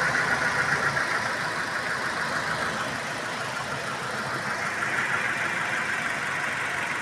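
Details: Petrol Toyota Innova idling after upgrade to a larger 75 Ah battery: even, settled idle with a soft steady hiss, no knock or misfire; engine running fine.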